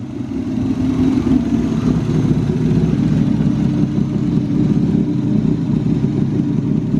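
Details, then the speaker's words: BMW E36 M52b25 straight-six budget turbo build, running up to temperature after being driven out. A strong, steady, even note with no misses, knocks or ticks, zero blow-by, purring: normal running. "she's absolutely purring now drove it out here no worries zero blow by still motor's running great"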